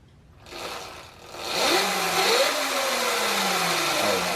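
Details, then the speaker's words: 2018 Sur Ron Light Bee MX motor after overheating at an enduro race, controller set to sensorless mode: wavering, uneven whine that stumbles and cuts repeatedly under throttle, with phase overcurrent faults; owner fairly sure the motor is bad. "still phase over current yep okay uh that sounds pretty bad dude every time just skips"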